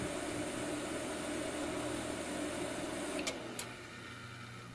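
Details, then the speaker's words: Digital picture frame PC with a dead network card, kept in an unventilated cabinet: steady rough whirr with faint tone under the running PC, fading with two clicks at power-down; one fan sounds worn. "something's got a bad fan great I should probably fix that but we're going to pretend we didn't hear that"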